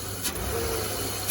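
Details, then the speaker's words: BMW E34 M50 straight-six donor engine after a stuck injector was found: quick throttle blip with smooth even note, no pinging or rattle; fuel ping cured, running on all six. "yep no more fuel ping you can see right there that's a quick quick acceleration no more noise"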